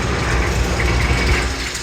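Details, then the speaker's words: Rebuilt Kelly Duplex 3-ton mixer, running, mic on the ground with shop noise: steady low rumble of turning paddles with no scraping or rubbing against the bottom; normal operation. "And we can hear that there is no scraping or rubbing of the bottom. The bottom is in excellent condition."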